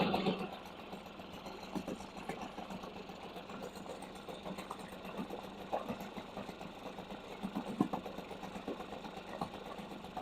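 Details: Two-stroke outboard at its first start of the season, after refitting the spark plug: a light, steady, buzzy putter with no misses or surges. Normal, clean idle.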